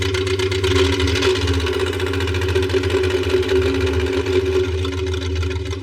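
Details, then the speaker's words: 1966 Ford Mustang fastback, engine not run in over 20 years and swapped from a '61: a lumpy, ragged, stumbling idle instead of a smooth V8 burble. Misfiring, running on four cylinders. "It's alive. Well, 62% of it. That sounds really terrible. And it's running on four."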